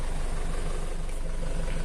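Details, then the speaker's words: Used Isuzu Elf microbus diesel at idle, not revved: steady even clatter, smooth regular pulse, no vibration, misses or knocks; normal idle. "Hai nah ini kondisi normal nggak dicas ya Hai gak ada getaran sama sekali"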